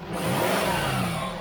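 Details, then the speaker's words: Jaguar XF 3.0 diesel after reseating a dislodged intake pipe that leaked air and whistled: short clean rev rising and falling smoothly with no whistle or hiss; noise gone, intake sealed, normal revving. "on listen aid it's complete noises completely gone there's nothing coming out there now so oh that's one little fix done"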